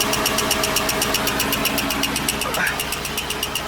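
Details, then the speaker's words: 1954 Buick, last on the road in 1992, being revived, first moving under its own power and leaking fluid: sharp, even ticking about four per second over a steady idle; unidentified ticking noise, source unknown. "and then it's also making this weird noise not sure what that noise is"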